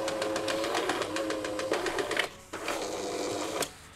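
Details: Jura E80 coffee machine repaired for leaking, not detecting the tray, heavy, loud running and error 8, test run before the full-load coffee test: the motor whirs evenly with a light, brief clatter, pauses, and runs again; normal brewer operation.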